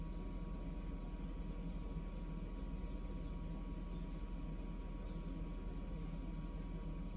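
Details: Samsung Eco Bubble WD106UHSAWQ washer-dryer drying a blanket on the 2-hour timed dry cycle, with the panel stuck showing 1 minute remaining: steady low rumble and faint even hum, smooth tumbling, no knocks or scraping; normal, healthy drying cycle.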